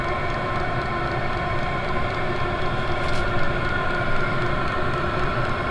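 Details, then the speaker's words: 24V 8kW Chinese all-in-one diesel heater on its default setting: steady fan rush with a quick, even clicking from the fuel pump; normal running. "you can hear the pump clicking away there. It's going at kind of a quicker rate right at the moment because I do have this thing just turned up on its default setting."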